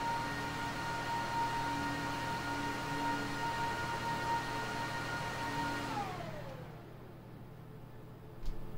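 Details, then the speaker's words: HP ProLiant server (owner guesses GL360 G7) in a rack, with a loud fan that is being replaced: steady high fan whine drops in pitch and fades as the fans spin down on shutdown, leaving the normal quieter hum. "this is what it normally sounds like now i don't have to yell"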